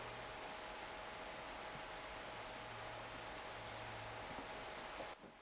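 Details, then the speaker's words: Thin, high wavering whistle that cuts off from a homemade thermistor-controlled amplifier cooling circuit: the MOSFET oscillates at its switching threshold as the heated thermistor drives its gate. "and that whistling and tweeting which you can hear is the sound of the mfet just kind of like oh should I switch on not is kind of the Gate of the mfet kind of turning itself down sounds like there's a bird in my circuit with all this twittering and chirping"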